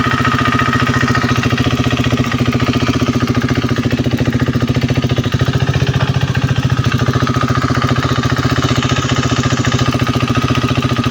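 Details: KTM Duke 390 V2 single-cylinder idle with a light, fairly regular tick often mistaken for the engine head; it is the ECU-driven solenoid purge valve between the evap canister and throttle body cycling, normal ticking.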